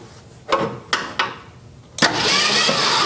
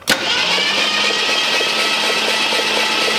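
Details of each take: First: 1966 Ford Mustang, first start attempt with badly gapped, possibly worn ignition points: three separate thumps about half a second apart while cranking, then a rougher run; cylinders starting to fire. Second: 1966 Ford Mustang project, first start attempt, jumped at the solenoid, compression unknown: starter spins engine steadily and evenly for about seven seconds with constant whir, no binding or clunks; normal free cranking.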